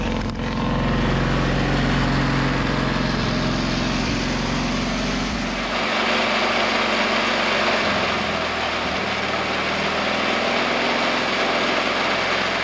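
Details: 1950s Caterpillar 955 Traxcavator track loader pony motor, after an oil change and new spark plugs (it previously would only start on ether): small single-cylinder ticks over at a steady, even beat with no stumbles or misses; normal idle.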